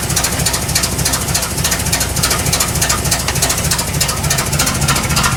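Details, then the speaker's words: Petrol engine of KITT car being tuned just after starting: idle pulses and stumbles unevenly instead of running smooth; vacuum leaks suspected, tuning out of adjustment. "Definitely not quite right."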